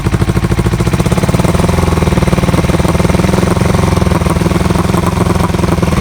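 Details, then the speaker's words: Kawasaki EN450 bobber twin, not started for a while, a little choke, running off a spare secondary tank, carbs not yet removed: loud fast lumpy beat that never settles; one side fuel-soaked, other dry; rough running, owner suspects carb float height. "i don't know if it's running through fuel and that is soaked on one side dry on the other i think i've got a float height issue on this carb"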